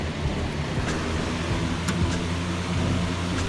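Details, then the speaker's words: Bus conversion roof vent fan mounted on L brackets, running with the lid shut: low steady droning rush with a strained, laboring note, the fan dying because an extra plastic piece sits right on top of it, restricting airflow; a longer, thicker bracket is needed. "The fan's kind of dying almost because this plastic piece is sitting right on top of that, so it's not getting enough airflow."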